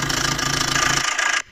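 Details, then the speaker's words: Maruti Dzire, heard near the engine at idle: loud fast metallic clatter until engine stops, from a worn timing chain set needing replacement. "तो वहां पे आप देखना इसकी कितनी ज्यादा नॉइस है की कितनी ज्यादा आवाज ए रही है आप देख सकते हो"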